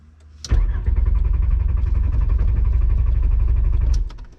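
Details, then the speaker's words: VR5 Savoy on its first drive, restart attempt: steady fast cranking for about three and a half seconds that almost starts but never catches, then stops. "nope that was close i told him before i get out let me try one more time it almost started"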